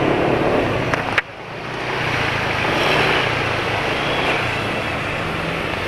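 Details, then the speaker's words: BMW engine just changed to Ravenol oil because the owner feared fuel dilution and heard piston-to-cylinder friction: light, quick ticking about four a second over a smooth idle. Top-end ticking is noticeable, but piston friction noise is now minimal. "Ya moga-moga kedengaran, tapi suara ngetrik-ngetriknya agak banyak ya, ngetrik agak banyak."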